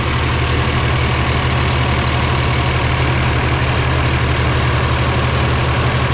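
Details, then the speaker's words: Rebuilt Cummins ISL9 (in-frame rebuild after dusting) at operating temperature: even, steady idle clatter, no knocks, misses or whine. Oil pressure about 35 psi at idle, up to 70 under throttle; no drips, healthy. "Pressure is about 35 psi idling, engine operating temperature, so that's good. It'll go up to 70 when you romp on it."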